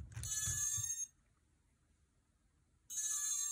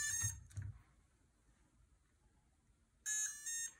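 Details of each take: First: MicoAir H743 AIO flight controller with built-in ESC, ArduPilot DShot setup, 3800KV motors, after changing motor direction: two bright beep bursts. The ESC needs a full power cycle, removing the battery and USB. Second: MicoAir H743 AIO Pixhawk flight controller running ArduPilot, battery just connected with props fitted: bright electronic tones, two early chirps then a longer tune, meaning it is still booting and not yet ready to arm.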